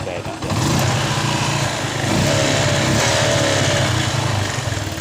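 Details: Yamaha Jupiter MX New after cleaning the never-serviced carburetor (was hard starting and stuttering; ignition normal, spark plug not replaced): engine takes throttle smoothly, revs and settles with no misfire or popping; normal running again.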